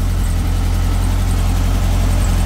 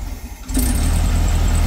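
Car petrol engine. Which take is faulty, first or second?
second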